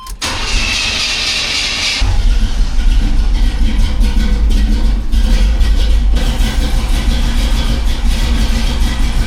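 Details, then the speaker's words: 1985 Chevy C10 with a larger cam and a new Holley 4160 Street Warrior 600 CFM carb (electric choke, vacuum secondaries) that has been running rich on cold starts. About two seconds of cranking, then the V8 holds a steady, deep idle without screaming. Normal start. "See, I like that. That sounds good. It's not screaming."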